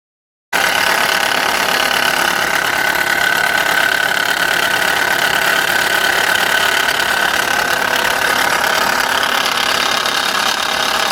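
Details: Subaru Impreza G4, abnormal engine noise at idle: rough idle with faint uneven tapping and a thin steady whine on top; cause not identified, noise repair job.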